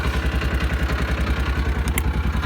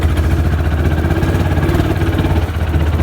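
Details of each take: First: Old Kawasaki Mule warming up just after a choke start: even idle pulses at about nine per second with no knocks or misses, smooth and healthy. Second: Old, worn Kawasaki Mule utility vehicle driving; low engine thrum with an uneven, stumbling beat, sputtering and stalling repeatedly, driver wonders if it is low on gas; engine sputtering.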